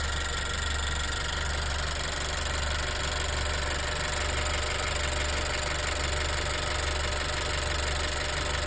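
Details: Turbo GDI EarthDreams petrol engine idling before MotorKote and Marvel Mystery Oil treatment: steady idle with a light, fast ticking through the low hum; ticking went away after treatment but later returned.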